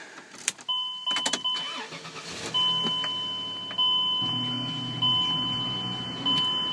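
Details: Chrysler Pacifica no-start fixed by adding extra engine ground wire to transmission for corroded, undersized engine grounds; chime beeps, brief crank, catches at once into smooth even idle: normal engine start.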